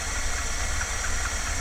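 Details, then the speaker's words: 1978 Dodge Tran V8 with the distributor loosened, at idle: uneven, lumpy idle with faint irregular tapping over the rumble; ignition timing is off and needs setting. "i had to loosen the distributor so it's it's not it needs to be uh timed in"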